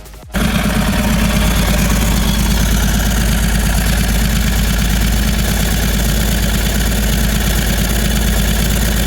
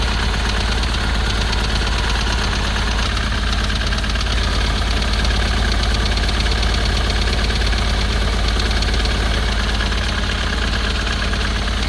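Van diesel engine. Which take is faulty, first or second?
second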